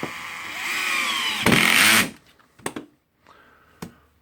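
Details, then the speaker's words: Makita 9558HN 125 mm angle grinder after armature and gear housing replacement (had been sparking): motor winds up to smooth steady high whine for about two seconds, spins down cleanly; repaired, running healthy. "and yep it's working so we're lucky we fix this"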